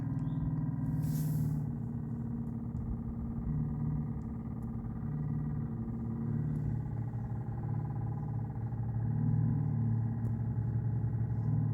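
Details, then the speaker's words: Volvo V70 in-tank fuel pump still making a steady low drone with slow wavering pulse after a new fuel filter was fitted; filter did not cure it, pump itself noisy and next to be reached under rear seat. "I'll get this one thrown in hopefully hopefully this sorts it well as you can hear that still doesn't sound great"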